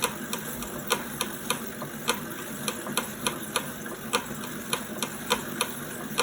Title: 2018 wahoo kickr core clicking noise under load